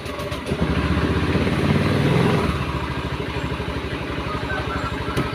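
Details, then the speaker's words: Honda Beat eSP scooter with a rough-sounding engine and a wet exhaust: long crank before it catches, then an uneven, lumpy beat; the exhaust is black and wet, oil is thick, and it smokes from worn piston, rings and valve seals. "Ini dengan kendala yaitu suara sedikit kasar ya bagian mesin, dan di bagian knalpot itu basah ya. Otomatis udah pasti ngebul ya."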